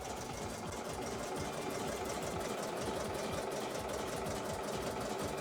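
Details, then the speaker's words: Embroidery machine being put through its paces before going back to the customer. Steady, unlaboured chugging of the needle at two to three strokes a second, with no catches or grinding. Normal stitching. "so just putting this machine through its Paces it's um it's going back to customer tomorrow morning first thing uh so that's just a little distraction so that'll just chug away right um until you need to change"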